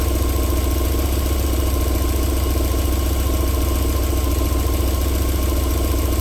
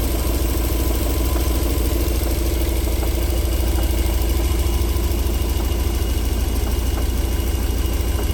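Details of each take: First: 1994 Alfa Romeo 3.0 24v QV V6, cold start-up settling into a smooth, even idle with a steady low hum and no knocking; a normal idle, with knocking returning after about 4 minutes. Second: 1994 Alfa Romeo 3.0 24v V6, warm after about 4 minutes (smooth when cold): steady low idle rumble with faint regular tapping about three per second; knock of unknown origin.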